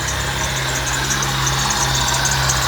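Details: 1998 Fiat Palio, Fiasa engine, at idle with belt reinstalled: steady idle with a thin, constant high hiss-whine that sounds like a belt but is the alternator, a worn alternator bearing.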